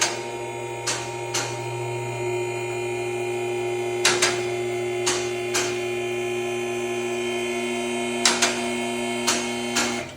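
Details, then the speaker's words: Four-post shop lift raising a manual-transmission vehicle in gear with brake set: steady electric pump motor hum with four safety locks clicking at different times as each catches; normal lift operation. "and you'll hear the safe safety locks clicking again notice they're four hitting at different times"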